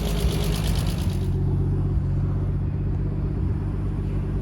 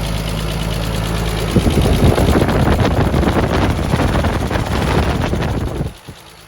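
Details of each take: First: Turbo-converted Nissan R33 RB25 after new head gasket and head studs, restarted the day after a top-end knock; steady, smooth idle with no ticking or knock, owner thinks the lifter has settled. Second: Turbo-converted Nissan R33 RB25 after new head gasket and head studs, warm after first drive with a flat spot; quick, even tapping near four per second over the idle, owner suspects a lifter, unconfirmed.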